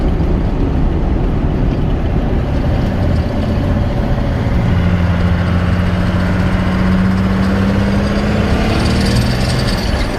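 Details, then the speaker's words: Ford F150 with a new Diesel Power Source turbo during acceleration: engine pulls hard with a steady drone, then a faint rising whistle; turbo spools up normally. "But we spooled this boy right up."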